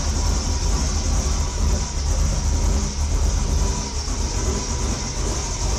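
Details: 1973 Ford Torino with LS V8 swap, running after easy start with open intake pipe: deep steady V8 rumble, even beat, loud intake hiss, no knocks or misses; sounded really good; normal running.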